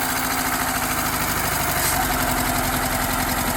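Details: Saab 900 Turbo four-cylinder, first start after sitting about two years and a clutch repair, jump-started with a dead battery; steady idle with an even beat and no knocks or misses, running normally.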